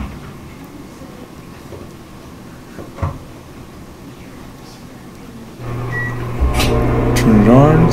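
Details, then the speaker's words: Frigidaire washer-dryer combination unit after fixing a dryer that wouldn't spin: steady low motor hum with soft rolling drum rumble, drum spinning normally again. "good open the door and it's spinning yeah back to normal"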